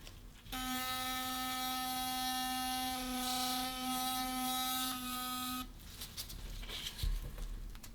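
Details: Philips Sonicare DiamondClean HX9340 toothbrush after its loose internal screw was retightened with Loctite (it had vibrated loosely and noisily): a steady, clean buzz at about 260 Hz for five seconds, then handling noise. Finding: normal running.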